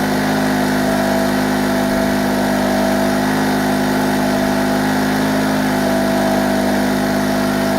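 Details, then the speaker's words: Small petrol 2-stroke generator running on petrol-oil mix from early 2011, warmed up, powering a 500 W halogen lamp with governor under load: even steady buzzing drone with constant pitch, no surging, light not fluctuating; normal running under load. "You can actually hear how the engine's running much smoother now, the light's not fluctuating at all, because the engine's warmed up."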